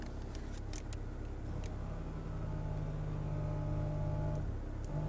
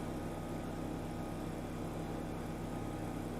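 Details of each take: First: BMW E61 535i wagon, auction-bought, rough history: low steady air-suspension compressor hum holds evenly but the car doesn't rise; owner suspects valves not opening, and after clearing codes with a scan tool it starts raising. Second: BMW E61 535i wagon bought at auction. After the codes were erased with a scan tool, the air suspension compressor runs with a steady, even electric hum and raises the car. The owner had suspected the valves weren't opening. The compressor is operating normally.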